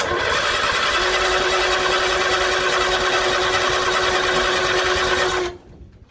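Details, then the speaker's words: 1964 Bedford CA panel van, not run for about 10 years, on a large battery. Steady cranking churn with a thin droning tone, about four turns a second, that never catches. It cranks but won't start; no spark is suspected and not confirmed. "turns over oh it turns over that doesn't sound very good though does it no"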